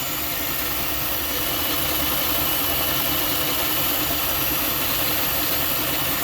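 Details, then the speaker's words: 2014 Jeep Grand Cherokee Pentastar V6 idling, heard under the hood: busy clattering accessory noise riding on a hiss, steady with no valve tick; not the Pentastar tick. "Now I'm hearing some noises, guys, some accessory type noises."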